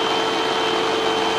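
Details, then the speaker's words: Hoover UH7103 vacuum after clearing clogs in the hose and base: steady even motor whine with airy rush, no surging or choked pitch; running freely, sounding much better than before. "Yeah. Sounds a lot better than it did before."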